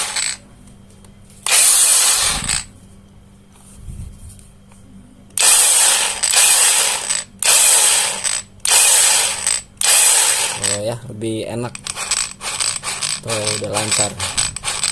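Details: JLD Xenon brushless angle grinder after bearing replacement and reassembly, previously stuttering and dragging: several short runs with a high, even whirr spinning up and cutting off cleanly, no drag or rasp; grinder spins freely.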